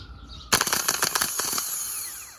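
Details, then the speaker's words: Starter bench-tested off the engine, battery negative to starter and live wire touched to the relay terminal: sharp rattle on contact, then a high even whir winding down smoothly on release; starter spins freely, working every contact. "should work like so and as you can see it actually is working every time it makes contact"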